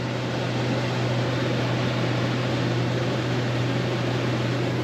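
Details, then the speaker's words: Rear rooftop Dometic RV air conditioner on generator power after replacing a bad thermostat that stopped the fan running in auto: steady low hum with even fan air, no cycling or rattles; normal AC running. "can you hear it near the compressor you can all's good we got air conditioning now working"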